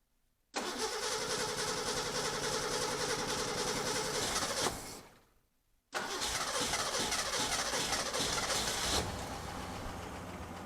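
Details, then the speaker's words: 1963 Ford Econoline pickup during restoration: engine catches with an uneven, lumpy beat about four pulses a second, stumbles off and restarts rough; the carburetor needs adjustment and the fuel filter will be checked. "definitely gonna need some adjustment let's give it a little more fuel to help it start up a little bit quicker"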